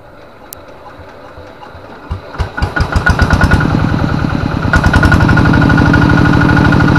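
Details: Kubota RD85DI2T single-cylinder diesel tractor engine, hard to start, smoky and weak under work, compression still good. It fires up and runs with a heavy, uneven chugging from a worn injection pump plunger.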